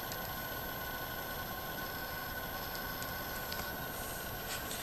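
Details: Sans Digital MobileRAID MR2UT+B enclosure fan just after startup: small fan whirs with a rough, scratchy grind and faint steady whine that gradually smooths out. Fan grinding at startup.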